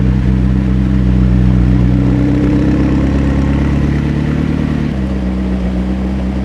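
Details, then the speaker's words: McLaren engine after oil flush, microphone near engine, fans blowing, heavy smoke from right exhaust: steady, even low idle with deep hum, no ticking or knocking, sounds healthy, though oil pressure reads low at 5 PSI. "Yeah, it's really heavy out of the right side, but the engine sounds great, as usual. I'm just gonna let it run for a little bit."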